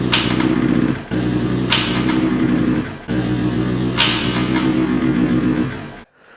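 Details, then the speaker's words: Honda CBR600 from a storage auction with a large hole in the engine case, freshly filled with oil, oil light on: harsh clacking through each rev burst rising with engine speed before dying. Connecting rod knock. "Ooh. That don't sound good at all. That might be a problem there."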